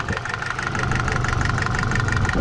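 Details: BMW E30 with M10 petrol four-cylinder idling with a loud, rapid, even ticking over rough, diesel-like clatter, before an oil change with Mobil 1 to see if it cures the valvetrain tick.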